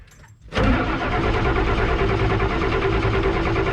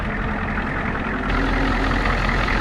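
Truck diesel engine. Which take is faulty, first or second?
first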